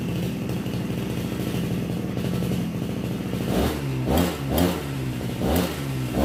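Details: Brush cutter (RBC411 two-stroke) after straightening the bent blade tip that caused violent shaking: engine revs up and down cleanly without shaking or clatter; normal running.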